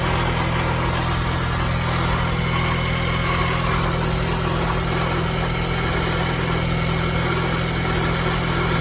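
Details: 2022 Ford Bronco Badlands 7-speed manual at 3,500 miles, idling in neutral: rough uneven low rumble with gritty grinding from the transmission under the steady hum.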